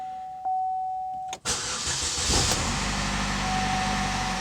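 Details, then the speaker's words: Chevy Malibu after repair for P0016/P0017 cam timing codes, battery reconnected: chime, quick crank, catches first try and settles to a quiet smooth idle with no rattle; engine now absolutely quiet, normal start. "oh yeah first try and the engine is absolutely quiet"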